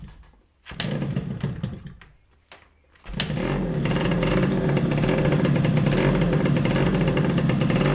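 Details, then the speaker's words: Yamaha RXS100 two-stroke, engine just refitted, first run in about 6 years on 50:1 premix from a remote tank, choke on: a few kick attempts with short bursts, starts on third kick and settles into a steady, crackly idle; healthy start. "This is the first time this engine's run in about 6 years. I reckon it's going to be 3 kicks maximum."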